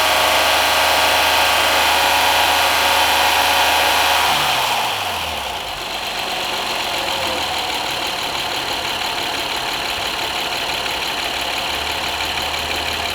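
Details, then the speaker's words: 2010 Honda Accord 3.5 V6, after a basic tune-up of spark plugs and coil packs fixing a misfire; revs fall away and settle into a smooth, steady idle with no miss; P0171/P0174 remain, intake boot temporarily patched. "So it seems to be idling cool. Did like a basic tune-up."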